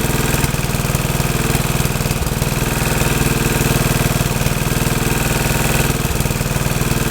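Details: Troy-Bilt tiller test run after rebuild; owner unsure of choke setting (full, half or none) but it starts and runs good: single-cylinder thumps at a steady, even beat about four a second, no misses.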